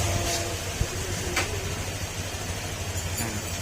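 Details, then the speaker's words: Honda Click 125 scooter at 46,626 km after engine teardown and rebuild for crankshaft noise, new block, still in break-in: steady, quiet, even low idle with no ticking or knocking; repaired and healthy. "Importante, nagawa na natin yung makina, tahimik na rin."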